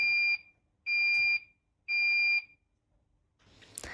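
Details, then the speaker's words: Leaksafe Waterswitch3 valve control flow alarm: three red flashes and three shrill half-second beeps about a second apart, repeating every 30 seconds, which can mean continuous water flow exceeded the time limit. "This video is a step-by-step guide on what to do if you have three red flashes and three beeps coming from your valve control every 30 seconds."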